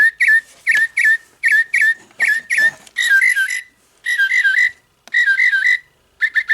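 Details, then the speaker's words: Singing bird clock after movement replacement, chime pushed via button without battery: clear repeated bird chirps, sounds very digital but no longer distorted; speaker playing properly. "It does sound very digital. Um I think the Autobon Society one had a better um realistic bird sound. This sounds very digital, but it's not distorted anymore."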